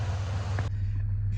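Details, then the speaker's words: Ford Ranger idling after bad fuel injectors were replaced, with a new intake manifold gasket and spark plugs fitted; it previously had a bad misfire. A brief hiss, then a steady, even low idle that runs smoothly. "runs like brand new truck now nice and smooth"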